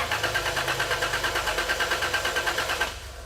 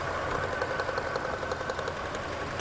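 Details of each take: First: 1999 Toyota 4Runner with rough idle, misfire and check engine light, automatic in park, cranked by a button on the starter solenoid wire. Cranking pulses are steady at about three a second with no weak beats; relative compression sounds even, and the starter is a little noisy. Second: 1999 Toyota 4Runner with rough idle, check engine light and cylinder misfire code: sharp snapping ticks, about five or six a second, over a steady idle as spark arcs from a lifted plug wire; engine note unchanged when spark removed, spark judged adequate.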